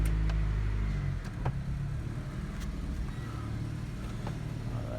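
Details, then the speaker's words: 1999 Honda CR-V B20Z after a valve adjustment: steady low idle with a deep, slightly throaty rumble and no top-end knock; exhaust leaking past a still-loose O-ring at the back of the canister; otherwise sounds and feels fine. "Sounds a little throaty because the O-ring on the exhaust on the back of the canister is still a little loose, but I think so far it sounds and feels fine."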